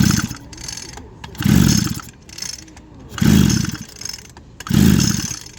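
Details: Echo GT 2400 line trimmer after cleaning, carburetor off. Four quick recoil pulls, each a smooth free whirr with no scraping or binding; piston and rewind spin freely: normal pull-start cranking.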